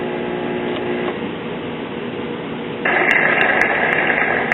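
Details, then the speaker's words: 1982 Zenith 17-inch Space Command color TV warming up after power-on: a harsh steady buzz under the sound that doesn't follow the program; typical Zenith buzzing audio, and the set later loses picture and shuts down. "typical buzz-omatic zenith writing on the screen buzzing audio [Music]"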